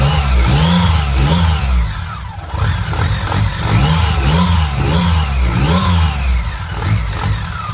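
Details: BMW K75: engine picks up cleanly through repeated blips and settles back evenly with steady firing, no stumble, missing or hunting; running healthy.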